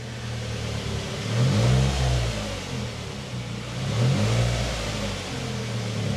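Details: Nissan Primera P12 after exhaust holes were patched with repair putty, engine idling to cure it, throttle blipped gently: a low, slightly blowy puff under the engine note. It sounds much better but a small exhaust leak remains.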